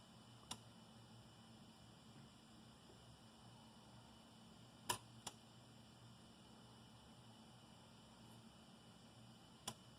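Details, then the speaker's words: Ender 3 V2 printing: sharp clicks every few seconds from the extruder gear skipping, an early sign of restricted filament flow at the nozzle from a loose bowden tube seal at the hot end, before maintenance. "so that that clicking is an indication that uh there's there's trouble that's starting with the the the filament flowing through the nozzle"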